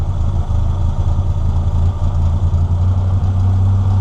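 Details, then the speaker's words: NA Mazda Miata, cheap Chinese aftermarket air flowmeter: low engine idle with a deep, even thrum that sags as the AFM idle screw is turned; idle speed too low from a mis-set idle screw, later turned back up to fix. "so right now here it is holding an idle but if I turn this you can hear it starts to go"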